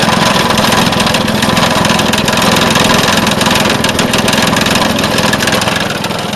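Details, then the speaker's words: Vintage Craftsman 18" snowblower, rebuilt 3.5 hp Briggs single-cylinder, after carb fine-tuning, driven around: quick, fairly even popping under light load without stumbling or missing; running properly. "Alright, I got it fine-tuned, and we're ready to take it for a spin."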